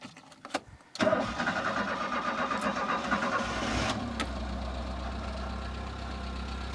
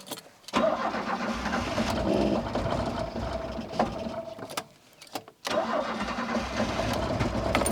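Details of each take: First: Citroën C25 camper engine, previously misfiring, after adjusting the choke. It catches after a few quick cranks and settles into a steady, even idle; the ignition components were probably the cause, now sounding perfect. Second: Citroën C25 camper engine, rough and misfiring especially cold, after a new distributor cap. It catches but runs lumpy and uneven, stumbling with irregular beats and near-stalls; the plug leads were fitted in the wrong order.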